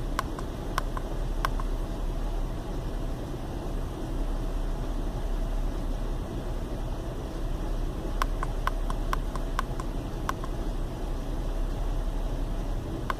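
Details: Chevy Venture warmed up about four to five minutes on a cool day, no check-engine light: low, uneven rumble at idle with the odd tick over it; rough idle caused by a failed hydraulic motor mount, with no thunk when shifted into gear.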